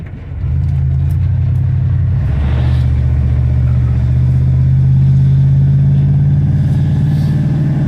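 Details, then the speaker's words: Classic V8 truck after opening the driver's side exhaust manifold flapper door and resetting base timing: deep, even roar building smoothly under load during acceleration, with no detonation ping or rattle heard again; feels healthier. "acceleration seems to be good once we get into a straight line here we'll be able to hear if we hear that uh detonation ping again but I don't think we're going to definitely feels a lot healthier"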